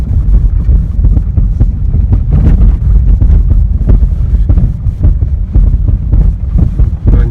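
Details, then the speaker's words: Honda Freed after fitting aluminum lift spacers at the front springs, the bolt not fully clamping the spring cup and leaving a gap: hard, irregular thuds over every bump amid wind and road rumble, the front struts knocking. The owner suspects the unclamped cup or dead struts. "Вроде бы такие кочечки, да. Тун-тун, как будто на отбой."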